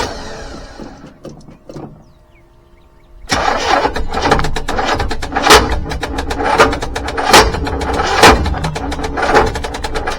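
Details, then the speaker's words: 1985 GMC C25, 454 7.4L V8, Turbo 400, with fuel delivery problems (failed electric fuel pump): labored, uneven cranking without starting until the battery dies. "Ah, seems like we killed the battery. I'm going to go ahead and uh put the uh battery charger on it and I'll bring you back when it's running."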